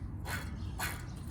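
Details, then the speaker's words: Motorized bicycle rear freewheel after disassembly and greasing, spun by hand: quick bursts of crisp even pawl clicks; smooth, healthy ratchet. "I don't know if you can hear the clicking, but I got a bunch of grease in there now, so it doesn't spin. It's smooth though, believe me, you can't tell from the camera, but it's smooth."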